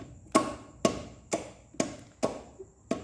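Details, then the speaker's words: 2015 Troller 3.2 with a leaking clutch actuator: sharp metallic knocks about twice a second from the gearbox shaft area; mechanic suspects a broken bearing, gearbox must be opened to confirm. "que vai ter que abrir essa caixa para ver se quebrou algum rolamento alguma coisa assim certo"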